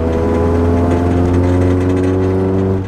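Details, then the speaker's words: Lowered Nissan 240SX daily driver with low-hung exhaust, a mounting bolt missing: heavy droning exhaust note and buzzing rattle under throttle as the exhaust hits something on the body; exhaust contacting chassis. "you could hear that the exhaust is hitting something I don't know exactly what it is but yeah very annoying"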